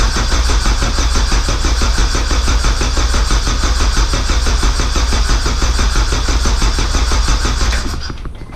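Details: K24a2-swapped Acura Integra first start attempt, after dead battery, open downpipe, radiator off: steady starter cranking about ninety turns a minute for eight seconds without firing; no-start later traced to an injector issue.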